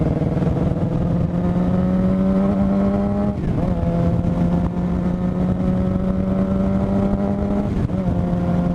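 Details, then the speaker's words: 2007 Suzuki GSX-R 750 running rough with steady drone, faint uneven beats, thin whine above, feels like three cylinders; owner suspects stator or regulator/rectifier, battery fell from 13 to 9 volts; rough running with whine. "it even feels like we're running on like three cylinders and there's this weird whining noise that I've been hearing something's up clearly"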